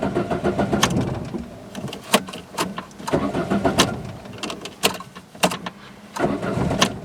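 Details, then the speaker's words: Peugeot 206 cold start, owner suspects a faulty throttle position sensor and a missing power steering pressure switch: uneven cranking bursts and stumbles before catching into a shaky, unstable idle. "so zuka is starting quite bad when it's cold"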